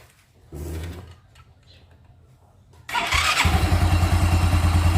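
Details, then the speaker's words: Carbureted Yamaha Xeon that previously only clicked (tek tek) without turning the engine, after replacing the faulty starter relay and the damaged starter one-way gear: the starter engages firmly and the engine catches within a second to an even idle. Normal starting. "oke teman-teman Bisa lihat sendiri ini motornya sudah bisa di starter"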